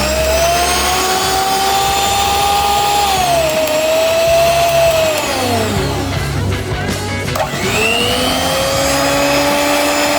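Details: Miyako HM-620 hand mixer after the motor, shorted by batter getting inside, was replaced with a new one: clean steady whine that dips and climbs back as speed changes, no grinding or rattle. Normal motor running.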